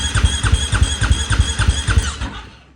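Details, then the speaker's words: 2020 Husqvarna FC450 after an in-tank fuel pump replacement, cranking with the tank opened to check the relief valve: steady starter cranking of about 3.5 pulses a second, with no fuel spraying heard; normal. "But I'm going to take a peek in here while it's cranking. And you can hear it."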